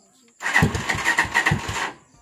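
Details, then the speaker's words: Motorcycle remote start after Z200 alarm installation: starter cranks about a second and a half with uneven pulses and the engine never catches; owner deliberately set the idle low, causing hard starting; with a proper idle or warm engine it starts on one press. "Mababa talaga. So, ayan. Naka-start na. So, kung okay ang minor ng inyong motor, one-click lang siya dapat."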